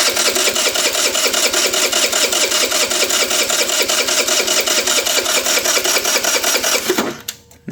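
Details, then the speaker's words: MVP 49cc Chinese scooter after replacing the petcock vacuum hose: fast rhythmic starter whirring, engine never catches; fuel now visible in the filter past the petcock, vacuum hose problem found. "So, we got fuel getting past petcock. So, we had a vacuum problem with that hose, which could have been part of the original problem with this thing, too."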